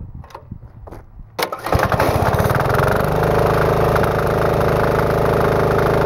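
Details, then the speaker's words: Finished, painted diesel-engine-powered portable air compressor with tank leak fixed: fires after a few cranks and settles into a steady even chug with constant hum; normal running. "The nice thing about this is it's truly cordless. You can literally go anywhere and this will run for hours, or as long as you need it to run and supply air."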